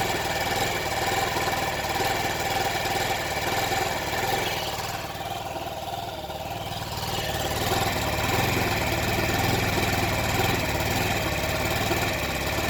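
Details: Stock Honda Ruckus started on starter fluid: rough idle with rpm hunting up and down on its own. It stays running only at half to full throttle, and throttle has little effect. Owner first suspected a new replica fuel pump; a new carburetor fixed it, so the old carburetor was gummed up.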